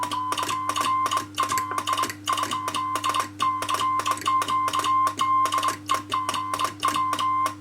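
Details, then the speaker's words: Two-tube RCA 813 MOPA CW transmitter on 80 metres, detuned from 120 W to about 80 W by reducing Pi-network loading; the keyed tone holds steady pitch with no noticeable chirp, clean at reduced output. "If I tune it for slightly less power, it sounds a bit better. It's about 80 watts."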